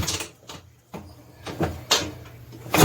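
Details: 1986 Honda TRX250R two-stroke started ice cold on choke after priming kicks: irregular weak bursts with gaps as it stumbles and bogs, sounding doggy instead of revving cleanly; fuel starvation from low fuel level.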